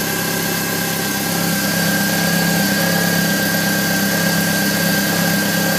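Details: 1999 BMW E46 316i, M43 engine, cold morning start: steady idle with faint metallic rattle lasting 2-3 minutes then disappearing; source unknown.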